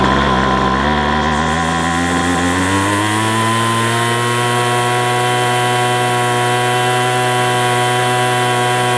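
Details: McCulloch 250C XL X-series two-stroke strimmer after a fuel filter change; it draws fuel poorly, and the carburettor diaphragm is suspected. Revs climb and hang high, never dropping to a steady tick-over, possibly running lean.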